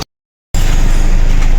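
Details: 2018 Hyundai Accent CRDi 1.6 diesel, previously misfiring and knocking on cylinder 2, started after oil pump and timing-cover work: after a brief dropout it settles into a steady, even low idle with no knock. Healthy idle after repair.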